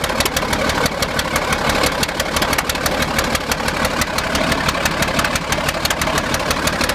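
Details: D8 diesel at idle: loud, uneven, lumpy clatter near three beats per second that never settles for a few minutes, then clears up; rough idle.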